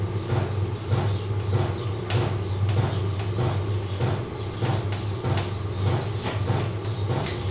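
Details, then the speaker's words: Low dull thumps at roughly a beat and a half per second beneath room noise in a garage, from the pump of a small 12 volt heater running in the background; normal pump ticking. "That thumping noise you can hear in the background, the pump for the little 12 volt heater."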